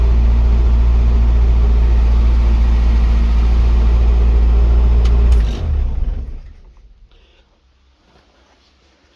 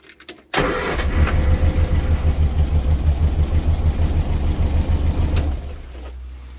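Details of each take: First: Morris Minor Traveller after refitting the carb, coolant pipes, spark plugs and HT leads while chasing a misfire: deep, even low rumble with a steady beat for about five seconds before shutdown. It runs smoothly with no misfire. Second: Morris Minor Traveller with misfire and cut-out at idle, idle turned up, plugs leads pulled one at a time: with plug lead one removed it runs lumpy with uneven low thumps about three a second, much worse; cylinder three later identified as misfiring.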